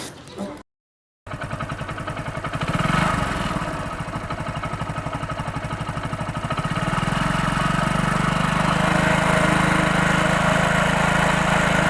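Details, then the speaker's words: Hero Passion Pro single-cylinder bike that had a loud engine noise, after repair on the magneto side where a loose nut was suspected cause: steady, even idle of about four beats a second with no knocking or rattle; noise much reduced. "तो देखा आपने की आवाज में कितनी बदलाव आई"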